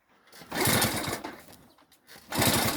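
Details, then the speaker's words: Delta moped, restart after a successful run: loud bursts of fast chugging pulses fading between attempts, turning over but never running; owner suspects a sooted plug from a wrong mixture with too much air. "Зараз уже не хоче заводити. Зараз спробуємо ще раз открутимо."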